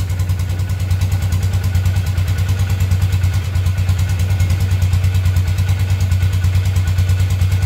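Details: 2012 Polaris Ranger 500 EFI after new top end kit install, oil system purged: even, steady single-cylinder thumping at settled idle, no knocks or misses over the exhaust beat; normal healthy idle.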